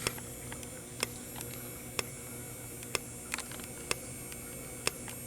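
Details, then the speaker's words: Fire alarm strobe during a drill, powered by full-wave rectified rather than filtered DC: steady coarse buzz and faint high whine with a sharp flash click about once a second; harmless to the device. "cause you can hear that strobe right there that strobe is buzzing very loudly that's because it's running on fwr if if it was if it was operating off of filter DC it would make a a smooth squealing sound"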